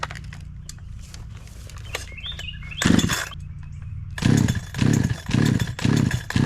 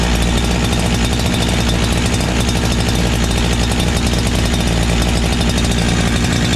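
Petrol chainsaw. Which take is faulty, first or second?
second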